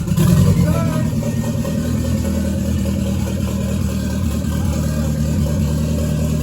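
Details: Toyota MR2 with a 3SGTE Gen4 engine, just started, exhaust not yet fitted. Loud open-pipe engine settles into a steady, even run with no misses or knocks. Healthy, just noisy without exhaust.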